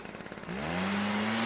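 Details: Stihl backpack blower that would not start, after turning the carburetor H screw a quarter turn counterclockwise for a richer mixture: a few quick pulls, then it catches and holds a steady, clean high tone; normal running.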